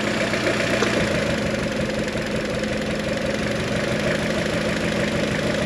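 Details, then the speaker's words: G23BK turbo engine, cooling fan off: loud steady idle with a light, uneven tick or slap on top; source not yet found, owner plans to pull ignition wires to listen. "the fan is off and you can still hear that ticking sound"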